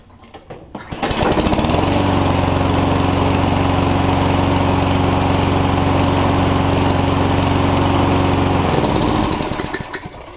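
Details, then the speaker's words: Lawn mower after flushing old winter fuel, refilling with fresh fuel and priming five times: the engine catches and holds a steady, even speed without surging, choking or coughing, then winds down. Running smoothly. "so obviously it started there what you want to hear is a good smooth running Condition it's uh not surging the RPMs aren't going up and down and it's also not uh not choking not coughing um it's good healthy noise"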